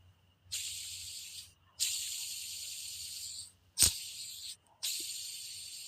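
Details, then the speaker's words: Idler pulley removed from a 1992 Toyota MR2 Turbo 3S-GTE during timing-belt replacement: spun by hand, it gives a rough, gritty hiss that fades as it slows, a worn bearing. The car has sat at some point and still had its factory belt; the tensioner also makes noise. "So, this one was making noise. Uh, this one is for the tensioner pulley. That was the idle. This is a tensioner. This also make noise."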